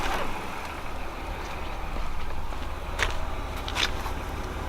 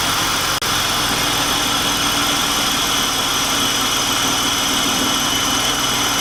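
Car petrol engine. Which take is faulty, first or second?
second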